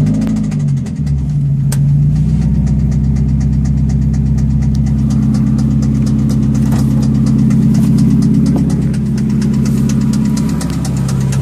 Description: Edit: Must have been rod knock because my engine blew.